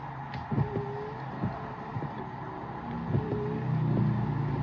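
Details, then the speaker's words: VinFast VF8 windshield wipers with Rain-X blades replacing the loud OEM blades, heard from inside the car: soft, regular swishes with light rubbing and no chatter or squeal. Not loud at all; normal wiper operation. "Not loud at all."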